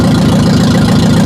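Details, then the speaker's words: Ferguson TO-35 barn-find tractor, previously seized engine, no exhaust fitted, after fuel repair, governor suspected bad: loud open-pipe chuffing at a steady even beat, no misses or knocks; healthy idle. "But it idles good. It sounds great with no exhaust on it. Nice. Wow. That sounds surprisingly healthy."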